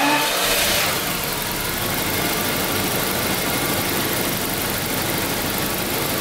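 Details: 1992 Daimler Double Six V12, warmed to operating temperature, checked for an odd sound at certain rpm: smooth, even idle hum with no tick, knock or odd noise; normal warm idle.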